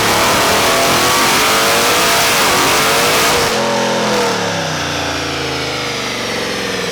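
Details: Procharged Chevy SS V8 on a stock automatic at about 50, loud revving with a rough, choppy low-rev drone that clears as speed rises; sounds like breakup but is muffler tone, not misfire: normal exhaust drone.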